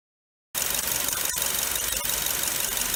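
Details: 2005 Nissan Wingroad (DBA-Y12), 103,064 km: loud steady roaring hiss from the alternator over the running engine, believed to be a worn bearing; fixed by replacing it with a rebuilt alternator.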